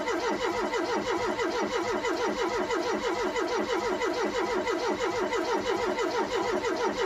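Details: Ford Cortina with a brand-new fuel pump and an empty fuel system being primed; the starter churns at an even, fast pulse for seven seconds with no firing. It cranks but won't start while fuel is only just reaching the filter.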